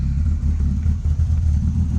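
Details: BMW E30 with a V6 swap at cold idle: hard start, deep uneven burble with irregular dips and exhaust pops, bucks in first gear when cold, black plugs. Owner suspects an air leak; runs fine when warm.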